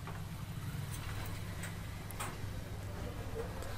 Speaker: तो दोस्तों यहां पर आप देख सकते हैं जैसे फैन चालू हुआ ना तो अब प्रॉब्लम नहीं है